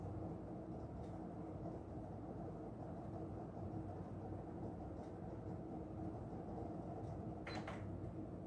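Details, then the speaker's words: Aloha Breeze tower fan on low with the oscillator on: oscillation does nothing, and a steady low buzz and grinding with scattered clicks come from the base; swing drive likely failing. "we'll run our fan belay down low now we have an oscillator which literally does nothing all you can hear is a bunch of buzzing and grinding noises in the base"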